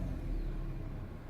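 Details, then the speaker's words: 2013 Kia Cerato YD 1.8 automatic after replacing the failed part with a new one: fuel pump heard priming, then the engine starts readily and idles with a steady, even low rumble, no misses or knocks; normal running after repair. "car starts up without any problem then we actually have driven the car for a period of time so it is certainly the problem"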